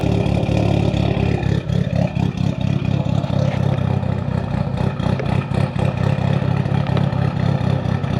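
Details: Built Mitsubishi Evo 8 with Kelford 272 cams, after replacing the failed IAC with a 2000-up Eclipse unit and a richer idle tune. A loud, choppy idle with an uneven loping beat and low rumble: big-cam idle, not quite settled.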